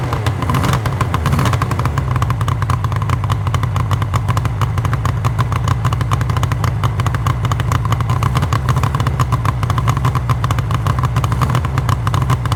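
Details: 1974 Suzuki GT750L two-stroke triple, first start after a rebuild from parts, battery at 12.66 V. Crisp, busy crackle at a steady fast idle, even and strong; running healthy.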